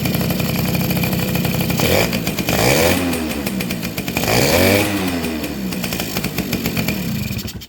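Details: Two-stroke motorcycle (Suzuki RC110 / Yamaha Y100 type) after replacing hardened, leaking crankcase seal: crisp crackle picking up cleanly on two throttle blips, settling to even run; engine now starts and runs properly.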